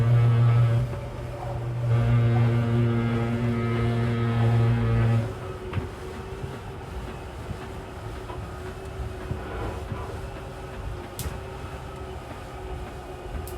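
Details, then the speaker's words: 2023 Jay Feather 24BH travel trailer slide-out extending: a loud, steady motor drone, then a rough gear-grinding growl before it cuts out. The motor is reaching its travel limit, which is normal. "and then once you hear that gear grinding noise go ahead and let go that just means the motor has reached its limit so it sounds scary but in reality you're completely fine"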